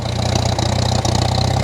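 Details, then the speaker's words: 1947 Farmall M, first start since October on old regular pump gas left all winter. After draining the tank and adding five gallons of fresh fuel, the slow, heavy idle thumps unevenly with stumbles. Owner suspects water in the fuel from condensation. "as you can hear it's still running quite rough but my guess is it's quite a bit of water in the fuel"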